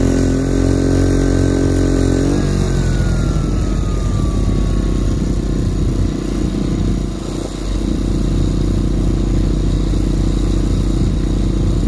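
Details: Quieted diesel generator in a bus RV conversion on external fuel, compared with the old inverter generator under load: steady even drone with smooth pitch drop as load settles, no knocks or misses; normal running.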